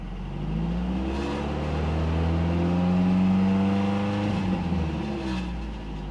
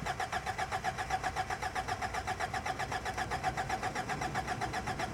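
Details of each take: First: Cheap Toyota truck revved twice after knock sensor replaced (check engine light previously came on at 2,500 rpm); pitch rises and falls cleanly with no ping or clatter, sounds healthy. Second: Cheap, long-sitting Toyota truck cranks steadily at about four beats a second but never fires, with 18 V jumped to the fuel pump through a 25 A fuse; a suspected stuck fuel pump, not confirmed.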